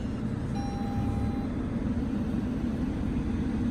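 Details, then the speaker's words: 2015 Lexus IS 250 at Copart auction, 57,000 miles, cranks right up and idles even and smooth with steady low hum, no ticking, knocking or stumbling; motor apparently undamaged; normal idle. "And it sounds good too. Yeah, I figured the motor probably wasn't even hit."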